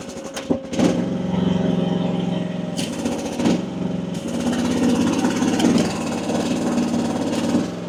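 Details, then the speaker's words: AGT WH12R 1-ton mini excavator diesel, relief set at 2700 PSI, digging function test; engine labors and sags with jerky uneven drone, wanting to die: relief pressure too high, owner then drops to 1900 PSI. "2,700 actually may be a little bit too high. May actually have to come back down. Let's find out. Hear that? Hear how it's wanting to die?"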